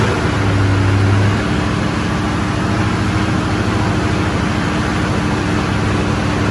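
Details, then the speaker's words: Shorty Duramax diesel, first start after complete frame-off restoration, fuel not primed: deep, steady idle with no knocks or misses; runs good, only a small dripping transmission line fitting, later tightened. "we started the truck it runs good"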